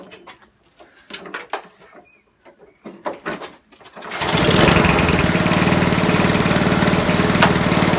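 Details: Non-running eBay spares petrol mower after reassembly, fresh oil and petrol, started on choke: catches after handling clatter, runs loud and fast with slightly uneven beat, revs hung high; owner thinks throttle stuck on; rough running.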